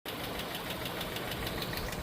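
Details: Mazda SKYACTIV petrol engine just started cold, fast dry metallic rattle over idle; possibly a sign the VVT system is starting to fail, not confirmed.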